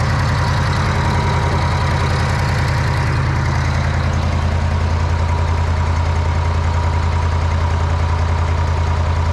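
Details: Old Bobcat 600 skid steer after makeshift variable speed drive belt fix, belt mid-travel for medium speed, started with a little choke: deep steady drone with even low thump rhythm, no knocks or squeals; runs smoothly.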